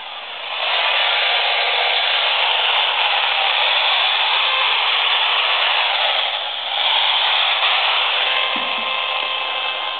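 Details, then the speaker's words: AM radio near a laptop plugged in on standby power supply, computer off: steady hissy buzz with faint whistles drowns the radio; electromagnetic interference from the power supply extending about 2 ft under the computer. "so the computer's in standby right now and just the M fact that it's plugged in is producing noise this noise extends underneath the computer in this case it's extending about 2 fet"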